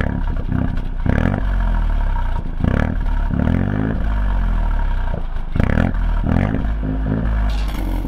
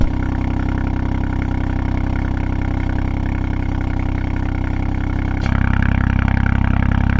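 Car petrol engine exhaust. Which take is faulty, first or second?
second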